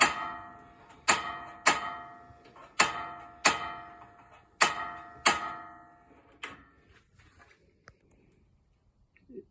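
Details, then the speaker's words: RV propane stove after storage: sharp metallic igniter clicks repeat about eight times while burner fails to light until dead propane air is purged from the lines; then it ignites. "see how it took a little while to purge the the dead propane air out of it then once it's one of them's lit I turned the other one on and those usually go pretty quick"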